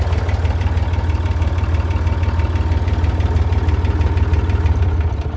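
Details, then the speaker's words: Massey Ferguson 35 Perkins diesel tractor after a cheap partial rebuild: low steady thump at idle, even and unbroken; runs smoothly. "but she's running now she's out from under the barn I'll go over some more of that in a little bit let's crank this thing up let you hear it run for a second"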